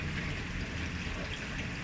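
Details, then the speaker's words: Panasonic automatic washing machine, noisy underneath during wash: steady gush of running water with a low rumble as it drains nonstop mid-cycle; intermittent fault. "ngayon kasi pinapalabas ko yung ayan Ma'am oh tingnan mo oh kumbaga diretso siyang nagtatapon"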